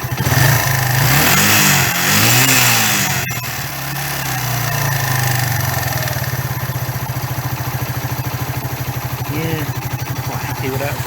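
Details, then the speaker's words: 1994 Suzuki GN125 single after carburettor clean clearing a blocked main jet, which had capped it at 2,000–3,000 rpm: catches and revs up and down cleanly, settling into a steady even idle, no misfires; healthy revving. "that's going to go all the way really that's going all the way so that's what it was that was that block main jet"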